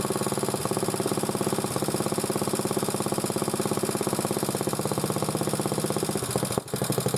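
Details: Single-cylinder motor-cultivator, which knocked and stalled in autumn and started poorly, idles after valve clearances were checked (intake 0.20, exhaust 0.15): even, steady low-idle firing beat with no stray knocks or taps; normal running.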